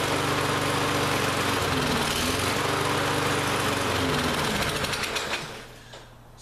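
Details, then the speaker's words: Lawn-Boy lawn mower that ran last season but wouldn't start this season now chugs with an uneven, surging beat and dies; went from no-start to running poorly, carburetor still partly gummed up, fuel-starved. "gone from a no start condition to it runs it doesn't run well so that tells me that carb is still a little gummed up"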